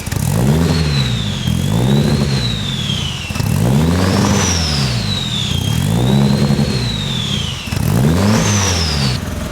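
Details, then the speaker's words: Nissan S14, turbocharged, after build: repeated rev blips with turbo whistle rising and falling, exhaust very quiet, no ticking or puffing; no leak found behind turbo; healthy. "very quiet. We're gonna have to make this thing louder at some point. Yeah, that's kind of embarrassing. My car's louder than that."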